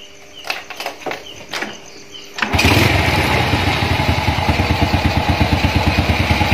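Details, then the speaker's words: Honda Astrea Grand motorcycle with Shogun Kebo CDI, pulser pick-up point modified to shift ignition timing: after a few kicks it catches straight away and settles into an even, steady idle with no misses; starts and runs properly. "بچه ها، بیایید سعی کنیم این موتور گرند را راه اندازی کنیم که دارای CDI Shogun است و برای نقطه برداشت آن را تغییر داده ایم و سعی می کنیم آن را راه اندازی کنیم"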